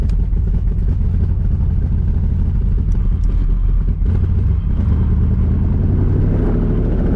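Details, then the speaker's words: 1982 Camaro V8 after fixing the hanging driver-side exhaust; owner feared jacking the pipe and moving the header caused a leak: deep, even rumble, smooth steady beat, no ticking or puffing from the headers; sounds fine, no leak. "I might have created an exhaust leak by jacking up on that pipe and moving the header but let's see n sounds fine"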